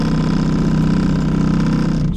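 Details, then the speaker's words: 2012 Toyota Sienna dash blower: loud steady droning hum with a rough warble; owner thinks the blower motor has seen better days and replaces it. "We got a little bit of a noise issue going on. Whoa. Our blower motor, I think, seen better days."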